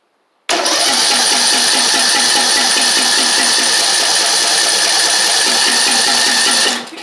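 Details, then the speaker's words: Craftsman YT4000 riding mower engine, after unblocking the fuel line (fuel pump first suspected): gas seen reaching the carb, fuel freshness doubted; starter whirs with fast, even chug for about six seconds, never catches; cranks but no start. "All right, I see gas coming up. Carb, so hopefully it'll kick off here in a second."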